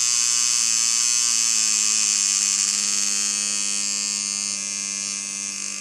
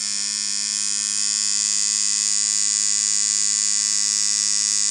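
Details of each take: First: Dan Kubin Sidewinder V3R tattoo machine with rubber bands on, about 5–7 V, before the fix: a high buzzing whir that wavers, dipping and surging in pitch. Speed inconsistency. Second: Dan Kubin Sidewinder V3R tattoo machine after the fix, rubber bands on, at around 5.5–6.5: a consistent high buzz over a firm low hum, steady without hiccups. Running properly.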